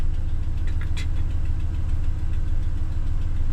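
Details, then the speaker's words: 2014 Ram 1500 Sport quad cab, 180k miles, cold start idle: light quick ticking that fades after a moment, exhaust manifold leak from broken-off manifold bolts. "You can hear the exhaust ticks and they go away. It's got broken off bolts."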